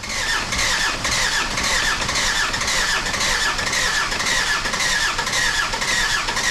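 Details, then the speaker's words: Jeep WJ Grand Cherokee 2.7 CRD diesel after installing injectors and charging low battery: starter cranks about two beats a second with a chirpy squeal, engine never fires, got smoky; crank no start, prolonged cranking burned out the starter motor. "Then I started cranking, and this is where the big problem came. But I had to keep on trying to crank this engine over, and that didn't end well."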